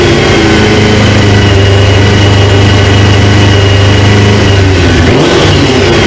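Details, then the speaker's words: 1999 Suzuki GSX-R 750 with a used replacement engine, first start after a fuel quick-connect O-ring fix; owner suspects a leaking injector O-ring and a small coolant leak: strong, even note, brief rev, no misses or knocks; normal running. "I seen a drip and then it starts smoking but other than that man this thing sounds good"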